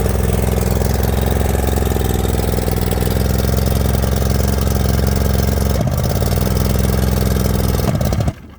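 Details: 90 hp Chrysler outboard on a long-forgotten late-80s/early-90s Glastron bass boat, first start with water supplied: deep, uneven loping beat that stumbles and cuts out; runs rough, owner suspects the carburetor, unconfirmed.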